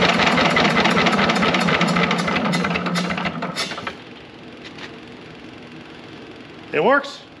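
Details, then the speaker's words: Heavy, low-horsepower air-cooled Lister diesel, run cold after a starter repair, then shut down. Regular, fairly even thumping at about 200 beats a minute, fading as it stops; it runs decently and should improve once warm. "they both run sound fairly decent i think once it heats up it'll do better"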